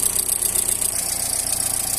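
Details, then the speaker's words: VW EA111 petrol engine, warm idle: quick, light tec-tec tapping over the steady hum; suspected worn camshaft and slightly worn lower bearings losing oil pressure; Bardahl Prolonga additive suggested for wear clearances. "Mas o barulhinho fica tec, tec, tec, tec, tec, tá? Todos EA111 faz esse barulho quando já tá com o comandinho ralado, casquilho lá embaixo já tá gasto pouquinho, entendeu?"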